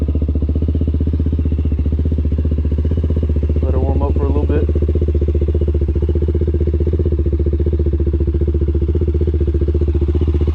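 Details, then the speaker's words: 2003 Honda 400EX after a top-end rebuild, on a cold start after sitting overnight: steady deep single-cylinder thump, about three beats a second, even with almost no valve tick; healthy idle, running what is thought to be a 165 main jet. "Right up, man. That thing sounds good. Almost no ticking from this thing. If you've ever owned a 400, you know these things tick like crazy. This thing sounds great."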